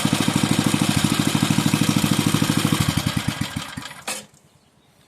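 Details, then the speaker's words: Bolens 5 rototiller's 5hp Briggs and Stratton engine after repairs and reassembly: steady, even fast putt-putt with no misses or knocks, then a clean shutdown; not burning oil or smoking, healthy little engine. "I'd say that is one happy healthy Little Engine it is not seem to burn any oil um it's not all Smoky"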